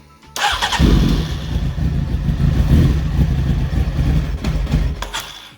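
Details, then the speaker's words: Honda CBR900 streetfighter build, after a wiring fix: the starter churns the engine for about five seconds with uneven low chugging but it never catches. Owner suspects too little fuel with the tank off. "well that went well right there is some fuel in here maybe not enough i might have to put the tank back on"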